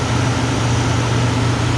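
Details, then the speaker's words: Big old carbureted classic car, no fuel injection, started by pumping the gas pedal after sitting a while: steady even low rumble without knocks, misses or hunting; healthy normal idle. "it sounds nice and healthy yeah well he's gonna move it man this thing's big huge"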